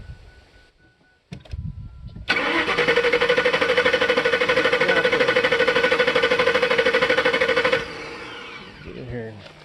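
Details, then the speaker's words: 1999 Lincoln 4.6 V8, computer-controlled, converted to old-school propane with intake tract off (no MAF signal), tank possibly nearly empty; steady starter cranking about three turns a second, no catch or cough. Cranks but won't start; cause unconfirmed. "Nope, it is not liking it. Ain't gonna happen. I knew this was gonna be a waste of time, but I figured it'd at least cough and chug and sputter, and Rusty."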